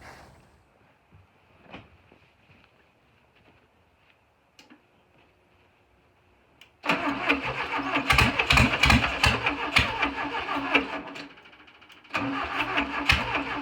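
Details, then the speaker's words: VW Beetle engine cranking, quiet then steady rapid starter chugging about three beats a second that never catches; number one cylinder was mismarked, so the spark plug wires were in the wrong order (correct 1-4-3-2); crank no start. "i think that my timing was off um i had this marked as the number one cylinder right here but it's actually this one back here so that threw me off so i switched all the plugs around to where they should be"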